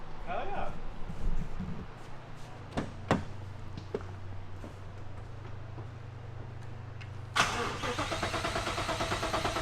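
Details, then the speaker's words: 2015 Ford Mustang S550 with a 7.3 Godzilla swap, first start with the full new Holley exhaust, untuned base map, possibly on E85. Cranks and catches to a loud, lumpy idle, then a sharp throttle blip. Very loud exhaust on first start. "it sounded good then she [Music] it's loud it's really loud but sounds better than it going R out of the headers"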